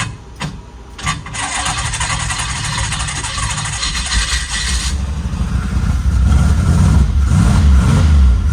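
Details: Car bought for $5000, freshly charged battery after suspected starter or connection problem: short cranking bursts, then catches and settles into deep steady run with slight rev rise; normal start and idle.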